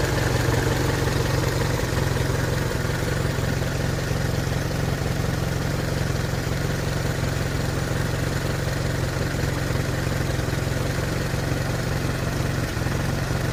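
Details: Hotchkiss M201 engine at steady low idle with a loose, slightly uneven beat near three per second; owner asks whether it is normal, no cause evident.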